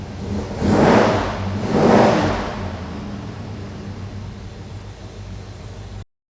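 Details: 1974 Plymouth Duster, 340 Mopar V8, Edelbrock Performer intake, 600cfm 4-barrel, electric choke, points distributor, 2.5in exhaust with turbo mufflers; deep burble with two quick throttle blips, then steady even idle; normal start and revving.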